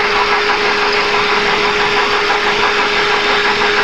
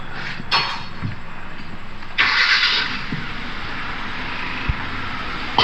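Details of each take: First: 2011 Kia Forte engine heard through a stethoscope near the water pump pulley: "kek-kek" noise, a steady hum with a dry, gritty rasp over the running engine; traced to a worn water pump bearing. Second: 2011 Kia Forte after water pump replacement cured its "kek-kek" noise, restarted: smooth, even idle with a soft steady pulse, no ticking or knocking, a few bangs and hiss around it; engine sounds healthy.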